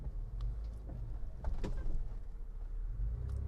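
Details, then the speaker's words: 1995 Mitsubishi Montero V43, 3.0 24-valve, coil-spring suspension, lifted and serviced, crawling over extreme cross-axle off-road terrain: a low, smooth rumble with only faint ground ticks and no creaks or clunks, so the chassis is quiet and normal. "在这种场地都没有响声的话呢，在铺装路面就更没有什么响声了。发动机声音各个方面也是运行的挺好的，杂音也没有，行走自如，如履平地。"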